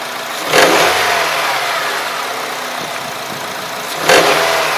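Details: Honda K20A engine, microphone held close to the engine: two throttle blips with faint light ticking between revs, hard to pin down; unidentified knock inside the engine.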